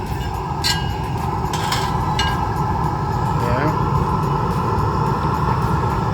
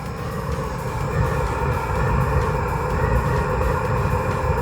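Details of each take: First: Eberspächer Hydronic 10 kW heater after burner change and cleaning, running about 15 minutes with temperatures rising; steady even burner roar, constant blower hum, no popping or surging; normal running. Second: Eberspächer Hydronic 10 kW diesel heater on high, flame detected, before burner change: heavy, uneven low roar with rough flutter instead of smooth burner hiss, throwing black particles; not burning correctly, burner suspected.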